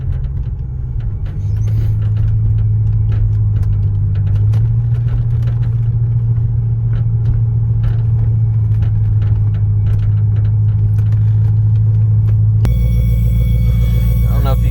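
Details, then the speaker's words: Lexus LS400 with the throttle floored: a deep, flat rumble that never climbs as the engine bogs and wants to die. Fuel starvation from a clogged fuel filter. "this is what the car is doing give the gas it just wants to die that's to the floor [Music] does not want to go at all"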